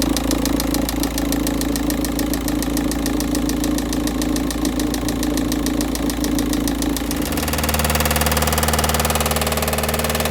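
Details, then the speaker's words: 2008 VW Touran 1.9 TDI, cold morning start (engine temperature 13.2): heavy rhythmic knock about twice a second at idle, louder as the oil warms and thins. Sump removed: third connecting-rod big-end bearing shell failed. "The knocking noise is getting louder and louder when the oil is becoming warmer or thinner."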